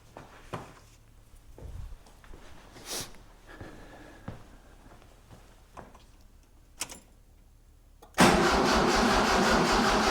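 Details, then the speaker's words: 1976 Mitsubishi Galant hardtop with 2.6 L Astron engine from a Sigma, first start attempt after tank cleaning and 91-octane fuel, accelerator cable not yet connected: about two seconds of steady cranking that never catches; crank no start. "Not yet. I haven't actually cons connect connected up the accelerator cable. That would help."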